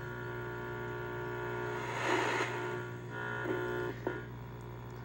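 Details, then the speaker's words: 1997 GPX TVP9 5-inch B&W TV/AM/FM/cassette, mint in box: steady low buzz under the audio that swells with bright picture content; possibly needs IF alignment or comes from the jungle circuit, unconfirmed. "let's see what happens here i heard it buzzy buzzy"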